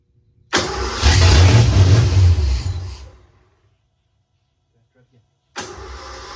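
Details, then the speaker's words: 1986 Ford F150 that sat for years, now with a new starter solenoid, cranks, catches and roars for about two seconds, then dies. There are no fault codes and timing is off; the owner suspects fuel is not staying. "yeah it's it's just not um either it seems like it's fuel it's the it's not fuel's not staying"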